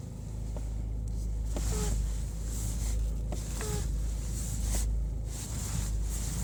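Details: Peugeot 308 (T9) idling, with short squeaky chirps and faint clicks from the steering when turned hard left, occasionally on right turns too; suspected hydraulic pump unit or electronic servo, not yet inspected.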